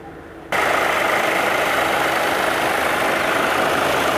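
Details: VW Jetta 2.0 TDI diesel, engine warm, AC off, codes P011700 and P218400: steady loud rushing whoosh kicks in abruptly over a quiet idle as both radiator fans run constantly at full speed.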